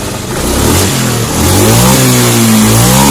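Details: Honda Scoopy injection scooter that hesitated on initial throttle, after TPS sensor position adjustment: engine climbs cleanly through the revs, pitch rising smoothly with no stumble or hesitation; throttle response healthy.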